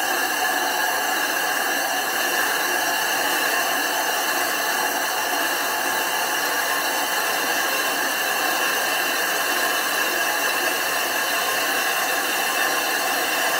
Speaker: you want to hear that howling grinding sound if it's not howling it's not grinding